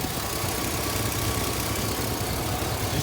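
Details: Cheap high-mileage Chevy Silverado, likely 6.0 V8, idling with low oil pressure warning: rough puffing rumble with raspy hiss, typical of an exhaust leak.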